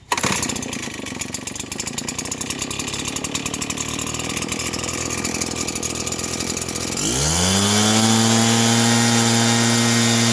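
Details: Redmax RBZ8500 backpack leaf blower after replacing fouled spark plug with NGK CMR7H (previously bogging, misfiring); quick even idle then smooth climb to strong steady scream without stumbling; normal running.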